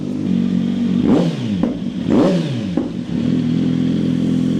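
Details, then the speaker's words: 2020 Kawasaki Z900, warmed up, after installing a solenoid-valve button to switch exhaust pops and bangs; two revs with crisp crackles and bangs on throttle close, overrun pops working. "już teraz widać że Czy widać już teraz słychać że [Muzyka] działa strzela"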